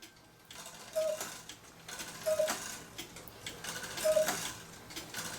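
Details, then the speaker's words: Swiss-style German cuckoo clock with music box and bellows newly hooked up: slow uneven clicking with thin lopsided whistles, one bellows side not sounding after it moved; uneven cuckoo bellows needing adjustment. "you can hear I need to adjust the one there for the Bellows cu the one side's not working that moved a little bit so I got adjust that Bellow"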